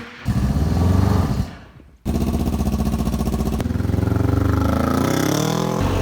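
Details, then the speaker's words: Smart car engine in a bike, after fixing the mix-up that left it on 2 cylinders, EGR and emissions deleted: firm, even idle with a steady pulse and no skipped beats, running cleanly on all cylinders. "It was running on 2 cylinders, so now I should have over double the horsepower."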